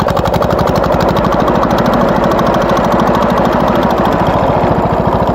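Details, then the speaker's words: Wheel Horse garden tractor engine under load while clearing trails: fast, steady hammering knock over the chug that worsened; cause unknown. "the symptoms are when you put the engine on the load it makes this weird sound"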